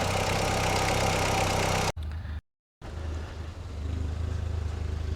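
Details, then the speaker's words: 2000 Audi TT Quattro after sitting, idling on old fuel: the low engine drone cuts out briefly, then returns with an uneven, lumpy beat at idle; the owner hopes it is bad gas, not confirmed. "As you can hear, the Audi is having some issues. Hopefully, it's the bad gas."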